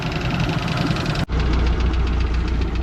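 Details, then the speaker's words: Four-cylinder inboard boat engine, previously very loud with rust found inside the engine, now with good compression on all four cylinders: a steady low rumble with an even beat, settled at a smooth, regular idle. "so it has good compression on all four cylinders now yes bang it all for it idle nice smooth"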